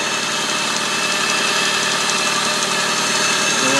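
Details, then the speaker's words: Freshly rebuilt engine just started, idling: sharp airy puffing tick over the exhaust note; exhaust leak, with a crack in the intake or exhaust manifold, otherwise running well. "The exhaust is leaking. I told the owner that there's a crack in the intake manifold, or the exhaust manifold."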